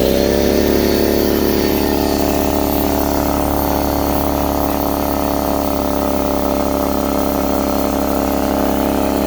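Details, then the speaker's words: Husky C303H air compressor after repair for not building pressure (valve plate/piston ring): steady motor hum with quick regular pumping beat, no knocks or hissing; now builds pressure, running normally. "foreign yes we got pressure this time we want to listen for any leaks get your ear next to it wow this is hot seems like it's working well"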